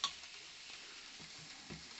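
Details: Cheddar Pintail live steam boat unit, whose gas tank fills incompletely with no way to tell when it is full, being refilled: a soft, steady hiss with faint ticks as liquid gas flows into the tank; normal filling.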